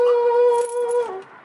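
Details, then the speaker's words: 1989 Ford F-150 heater blower motor for the climate control makes a loud, steady high-pitched squeal at low, medium and high speeds; the motor is to be removed and fixed. "alright guys so today I'm gonna with Tim to fix the heater motor or the blower motor I should say for the climate control makes a squealing noise really want to fix it because I need some heat in the morning"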